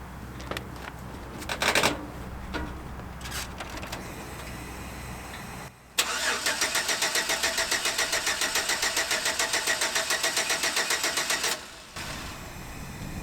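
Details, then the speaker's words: 2007 GMC Sierra work truck, about 10 degrees outside, battery still full: starter cranks rapidly and evenly, about three and a half turns a second, but the engine never catches. Fuel pump heard running, and the truck ran at auction. "I know what you're thinking. it's probably a fuel pump because it's a GM. Well, I heard the fuel pump running"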